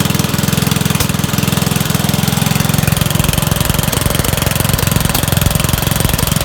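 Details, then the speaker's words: Dump-find Rugg carpet-cut tractor, small single-cylinder engine after carburetor cleaning and new fuel filter, started on choke in 3 pulls; steady even chug with low thump, no misses, running acceptably despite the bad carburetor. "I gave it choke, 3 pulls, started right up. Not running bad, considering how bad that carburetor was."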